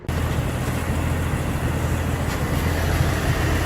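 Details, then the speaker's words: 1982 Ford Granada after a carburetor rebuild; steady, even low idle with no knocks or misses and a faint whir from the smog air pump; quiet and healthy; choke replacement and new fuel filter still planned. "Got that awful smog bump. This thing is actually quiet. Not bad."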